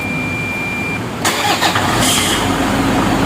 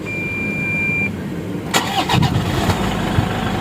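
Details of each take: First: 2012 Toyota Fortuner 2KD diesel: a thin steady squeal heard only once, at the initial start, before the engine cranks and catches, traced to the alternator pulley one-way clutch. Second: 2012 Toyota Fortuner 2KD diesel after fixing a singing squeal at startup suspected from a one-way clutch: a short beep, then the engine cranks and catches into an even idle with no squeal, a normal start.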